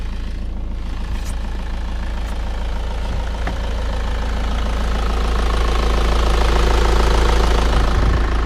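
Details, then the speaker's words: Audi Competition Quattro (about 200 kW on dyno), third start attempt on jump cables as the battery is likely flat from sitting: engine turns and catches into a rough, rising low rumble that steadies. "Kui eelmised 2 varianti ei toiminud, siis nüüd see 3. katse peaks ikka õnnestuma. Proovime järgi kohe."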